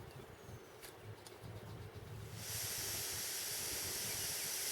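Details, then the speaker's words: A lightweight hiking stove burner sits on a mixed isobutane/propane canister that showed no leak sound when opened or screwed on. It is quiet at first, then a steady, even hiss starts as the valve opens: isobutane escaping before lighting, a normal gas flow hiss. "you can hear that. That's the isobutane escaping."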